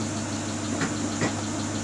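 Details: Great Wall Hover H3 after head gasket replacement for a blown gasket (antifreeze in cylinder 4), warm at about 86°C: even, settled idle hum with only a couple of faint bumps and no rhythmic knock; idling healthily, no errors.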